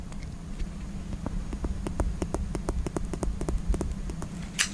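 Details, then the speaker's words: iPhone 6s Plus after a screen and digitizer replacement, testing the home button: a run of about fifteen crisp, firm clicks over a low room hum, meaning the button works normally. "Okay, it does work. I hope you heard that. I was pressing the button. The button does click."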